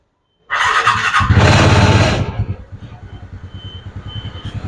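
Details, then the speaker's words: TVS NTorq scooter engine after repair of an engine noise, started and idling: catches first try, even steady putter with no rattles or knocks; engine now quiet and healthy. "ഇപ്പോൾ നമ്മൾ എൻജിനിൽ നിന്ന് നല്ല sound ആണ്. ഇപ്പോൾ വേറെ കംപ്ലൈന്റോ കാര്യങ്ങളോ ഒന്നുമില്ല."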